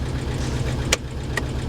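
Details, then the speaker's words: Jaguar with about 185,000 miles, at a salvage yard with almost no gas: low, uneven, lumpy idle with no steady rhythm; suspected not running on all cylinders, cause unconfirmed. "that doesn't sound very powerful it doesn't i don't think she's running on all of her cylinders"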